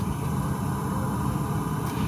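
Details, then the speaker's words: Mercedes SLK200 R172 switched off, sound heard at the battery tray: soft steady whooshing with a low hum as a fan cools the battery; normal battery cooling fan running. "There's a fan cooling the battery down. That's not a parasitic drain much, is it?"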